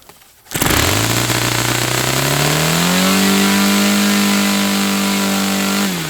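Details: Saito FA-300T twin-cylinder glow engine restarted on a customer run, with a sticky, hard-to-set throttle linkage. It catches after a brief crank and climbs to a steady, even high drone with no misses or sag. Running well: normal running.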